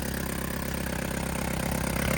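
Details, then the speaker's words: Hyundai small car, abandoned non-runner: rough, uneven lumpy idle with light clatter, barely running; it runs only with injectors pulled from the inlet, dies once they are seated, so fuel arrives but intake air is blocked. "fuel rail which she running but as soon as you put that in there you want to put it in and kill it soon as you block so it's it's been getting fuel all along but it hasn't getting air to those to the inlet"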